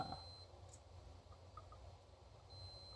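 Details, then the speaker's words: Asus J1800I-C/BR motherboard, multimeter continuity test from the 3.3 V rail to ground with power off: a steady high beep in two stretches, reading about 1 ohm, showing the 3.3 V rail is shorted; appeared after only a memory MOSFET was replaced. "Nossa linha de 3 volts está em curto, ó. Um ohm. Temos algum curto na nossa linha de 3 volts."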